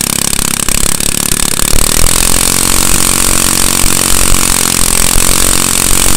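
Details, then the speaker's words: Manco go-kart with Honda engine started without starting fluid or choke, smoking slightly, possibly leftover oil or dirty fuel; small engine buzzing loud and steady, picking up after a couple of seconds, no misses: normal running. "all right sounds like it's working out pretty good so um now that we know it starts"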